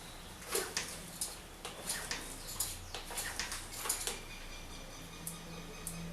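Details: Fox Float R rear air shock: sharp, uneven dry clicks on rebound, louder with fast rebound set; o-rings and fluid OK, likely unlubricated internals, and the noise stopped after some rides following an air sleeve kit service.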